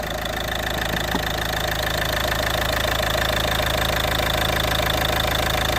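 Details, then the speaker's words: Ford Galaxy 2.0 TDCi idling on ramps after turbo rebuild, in limp mode with sluggish running and code P2263: diesel clatter with a thin, steady high-pitched hiss, a suspected vacuum leak. "I wanted to hear what it looks to me like a vacuum leak uh you hear that"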